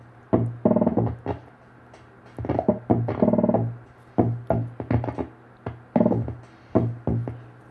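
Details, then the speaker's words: 1974 Hammond Auto-Vari 64 rhythm unit under repair: rough, crackly beats with buzzy, smeared tones at a slow pattern; plays but badly distorted, high-frequency section suspected, possibly wrong pot. "It is pathetic how bad this is."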